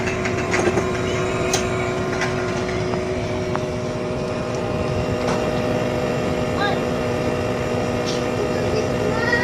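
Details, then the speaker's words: Haier inverter split-type aircon outdoor unit, compressor running after the piping was redone to the standard 3-meter minimum length: smooth, even hum with steady tones and no rattle or knocking; quiet and healthy, the short-cycling noise is gone. "Kita mo naman, tahimik naman yung ating compressor, walang problema mga kamaster."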